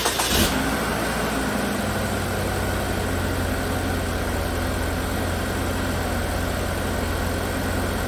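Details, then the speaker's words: 2017 Chevrolet Equinox 2.4 AWD, first start of a used replacement engine after the swap: catches, then settles into an uneven, lumpy misfiring idle with the check engine light flashing; it later smoothed out and the light went off. "that sounds pretty good oh what's going on there obviously missing oh well now the check engine light is flashing"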